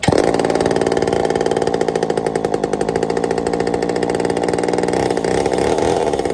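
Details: Homelite Super XL-923 82cc chainsaw test fire after tuning; crisp, loud two-stroke buzz holding steady with no bogging; tuned up easily, a little rich on low speed, good and snappy.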